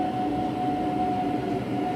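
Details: Wall-mounted gas boiler running at maximum hot-water output, no squeal on heating mode: steady high whistle holding one pitch over burner rush; cause suspected, not confirmed, pressure about 2.1 bar checked.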